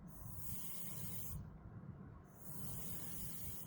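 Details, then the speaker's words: AC line set after decay test, refrigerant released from the outdoor unit into the line set: two sharp high-pitched gas hiss bursts about 1.5 seconds each, purging air from the line. "So, we're going to loosen this air. Listen. Hear that. That's the ref. That's the refrigerant."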